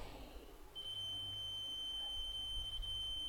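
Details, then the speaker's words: LM383 chip amplifier build, multimeter continuity test on a solder joint at the snubbing capacitor: high-pitched beep that drops out intermittently; poor connection suspected of causing the chip to oscillate, to be resoldered. "know if you can hear that but this connection here as you can hear not a very steady beep or as you probably couldn't hear"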